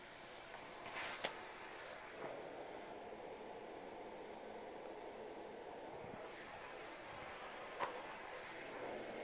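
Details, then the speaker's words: Bosch vacuum running; soft, even airy whoosh with no rattle or whine, just light handling clicks, a very quiet machine. Normal vacuum running. "So, as you can see, the Bosch is turned on. Right there. It's a very quiet machine."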